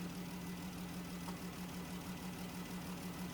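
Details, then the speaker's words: 2017 Dodge Journey with code P0202, misfire on cylinder 2: steady low idle with an uneven beat and recurring stumble, one cylinder dead; no control signal on the injector 2 side; PCM injector driver failed, confirmed as the PCM. "PCM driver on injector 2 failed and it actually was the PCM"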